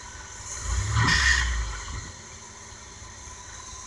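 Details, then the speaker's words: Old Chevy P30 motorhome V8, warm start without choke after a new distributor cap, rotor, ignition control module and coil. The fuel pump hums, the engine catches first try and settles to a quiet, steady idle with about 30 psi oil pressure: healthy start. "let's see if this thing will actually just start up because it's warm I shouldn't have to press to choke she'd be able to you're the fuel pump cut kick in it goes the fuel pump there we go"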